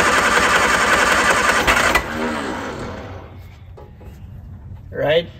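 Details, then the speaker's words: Classic car that sat all winter, jump-started with a small Topdon jump pack; about two seconds of fast, uneven cranking with a brief catch, then the starter stops as the pack detects the near-start and cuts out; cranks but won't fire. "the engine almost started there and the jump pack detected that and i have to disconnect it before i can try again"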